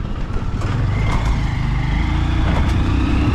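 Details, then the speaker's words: Honda Supremo 150 motorcycle running with a steady, low, even drone and no rubbing, after its stuck front brake, first mistaken for a loose chain, was fixed; the earlier noise is gone and the bike feels lighter with more pull; normal running. "Nawala yung ingay kasi dati maingay ito."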